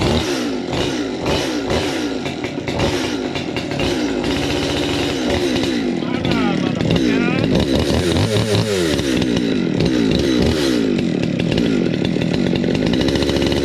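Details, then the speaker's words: 200T chainsaw after new carb, intake boot, impulse line, fuel line, fuel filter, air filter and spark plug: crisp two-stroke buzz climbing and falling cleanly with throttle, no bogging; runs healthy, tuning still needed. "that was a success yeah and it sounds a [ __ ] whole lot better too"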